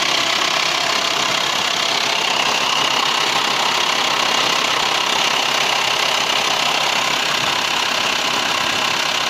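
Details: VW T5 2.5 AXD diesel at idle: harsh, even metallic clatter about three per second, bright; worst when turning the steering wheel; source not pinned down.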